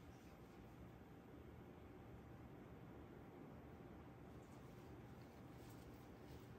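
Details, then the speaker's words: EVGA 240 AIO CPU cooler refitted with Noctua fans, turned up to a high fan setting: low, even, steady rush of air with no ticking, rattle or whine. Fans run quietly and normally at high speed. "Max. I can so much live with that. So much."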